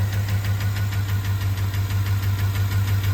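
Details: 2009 Chevrolet Avalanche, GM 5.3 V8 at idle: sharp, even ticking about three times a second from the upper end, caused by a failed AFM/DOD cylinder-deactivation lifter.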